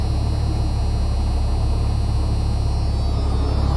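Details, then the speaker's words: Jeep Cherokee 4.0 inline-six, hot after warm idling, formerly missing on cylinder 6 when hot: now even steady low rumble at idle, no skips or stumbles after several days of solid starts; running smoothly. "few days of solid starting and uh no Miss so here it is I'll start it up you saw the uh you saw the video when it was hot how it would miss so it's hot right now I made sure that I got a little bit warm idling"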